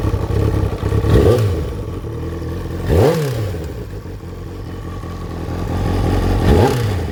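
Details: Kawasaki ZXR 750 engine revved in three quick blips: a clattery knock under the idle and revs; the exhaust cam timing was found off by one tooth during the repair, suspected as the cause.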